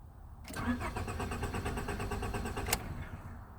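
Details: 1998 Honda Accord with the original key, security light blinking: steady starter cranking for about two seconds that never catches. Immobilizer blocks the start because the key isn't recognised; one mechanic had blamed the crank sensor. Crank, no start.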